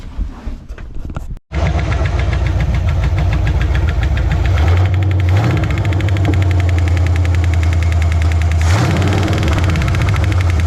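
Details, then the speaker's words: 1973 Chevy Nova engine that sounded fine earlier: after a quick crank and catch, idle carries a deep, steady pounding about three and a half beats a second; engine knock, engine likely needs replacing. "that sounds an awful lot like a knock to me now I know this engine sounded better than that in Tennessee I don't remember any engine noises at all that sure sounds like it's pounding"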